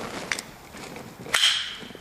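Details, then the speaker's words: Miata (1990–2002) convertible top latch after the Posi Latch Fix screw is installed: light metallic clicks and a loose little rattle as it locks; a clasp cushion is next, to remove the rattle. "Oh yeah. Oh, you can hear it. There's a rattle to it now. Little rattle there. It locks. Now, there's a rattle to it."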